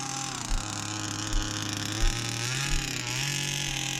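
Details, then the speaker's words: Rebuilt 29cc two-stroke engine in a Baja 5B RC car, new clutch shoe, driven on frozen ground; high buzzing rises and falls crisply with throttle, pulls hard without bogging or misfiring, healthy and strong. "Car is pulling nice. [Music] Oh, it's got some punch, man."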